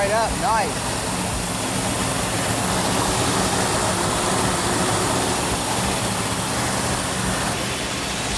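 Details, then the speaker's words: Chrysler 440 six-barrel V8 in a 'Cuda with Comp Cams Mutha Thumper cam, initial startup on a fresh engine, rpm held up for cam break-in: loud, steady, choppy big-cam lope, slightly noisy valve train, normal. "sounds like a big cam right now yeah sounds like a huge cab"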